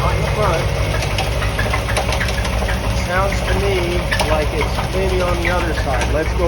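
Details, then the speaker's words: 1988 Corvette V8, recently bought with known noises, recorded from the back of the car: low steady idle rumble, faint repeating knock from one side and intermittent chirping squeaks, exhaust shows no miss; cause undetermined; engine knock and squeak at idle. "Yeah, it sounds like it's on this side, and it sounds like maybe it's right here. And something's squeaking also."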